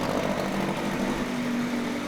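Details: 9.8 hp Mercury 110 two-stroke outboard after new water pump impeller and replaced lower-unit oil seals: steady buzzy drone at even speed, no misses or knocks; runs cleanly.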